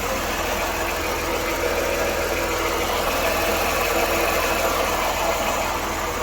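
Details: 1993 Dodge Grand Caravan LE at idle after belts and alternator refit: a steady rough whirring at the front of the engine persists; owner wondered about the AC compressor, but the water pump was weeping and its worn bearing is the noise.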